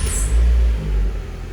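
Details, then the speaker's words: 2005 Chrysler PT Cruiser after fixing no-crank, no-start with dead instrument cluster, cluster lights now working: short deep rumble as engine catches at once and settles into low steady idle; normal start. "okay and now you see all the lights now it didn't have none of those lights the only lights it had was these now obviously it'll start right up"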